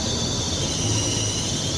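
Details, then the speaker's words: Car engine first thing in the morning, very cold start: steady high-pitched screech at constant pitch over the engine; alternator/fan belt squeal. "Yun, may tumutunog. May tumutunog pa sa kotse ko ngayon."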